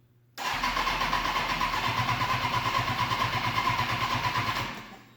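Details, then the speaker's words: 2005 Kawasaki Ninja 636, sat in a shed for years, first start attempt after fitting new injectors; starter spins engine in quick even chug about four seconds without catching, fuel pump needs more priming; it then runs. Crank no start, fuel not primed. "she wants to she wants to let it prime some more oh a little bit a little bit"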